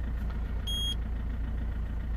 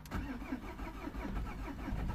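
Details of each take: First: 2003 Peugeot 307 2.0 HDi diesel, just started after programming a new transponder to replace a lost one: a steady, even diesel idle with a low thrum and one short electronic beep early on. Normal idle. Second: 2003 Peugeot 307 2.0 HDi diesel, lost transponder, being started after programming a new transponder: repeated slow cranking pulses about twice a second before it finally catches; long crank before start.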